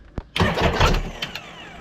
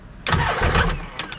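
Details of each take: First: 2005 Sea-Doo supercharged jetski with new engine and new starter: three cranking bursts of a few seconds, engine turning but never catching; starter switch suspected. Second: 2005 supercharged Sea-Doo jetski after a new starter was fitted, tested out of water. A short, sharp burst of fast cranking turns the engine over freely; the start button may be faulty.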